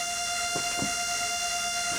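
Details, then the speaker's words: 91" Extreme Flight Extra NG RC plane, just powered on via transmitter and power box switch, sitting at rest: steady high-pitched buzz with faint thumps from the digital servos; normal servo chatter. "Ignore the servo chatter, that's perfectly normal for these digital servos."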